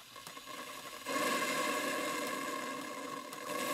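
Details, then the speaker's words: Castle Steam V6 boiler running a Stuart 5A steam engine; oversized steam pump overfilled the boiler, so the steam blower jet up the chimney throws water, steady hiss with wet spitting and crackle. "noise that you can hear is from the steam blower that blows a jet of steam up the chimney that now is blowing objective water of the chimney"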